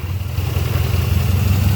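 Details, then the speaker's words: GM 3800 Pontiac Grand Prix with check engine light on, revved: low, uneven, lumpy stumbling idle with shaking; suspected misfire from a failed coil pack, not confirmed. "rev it up you can hear oh it's chirping terribly sounds horrible right"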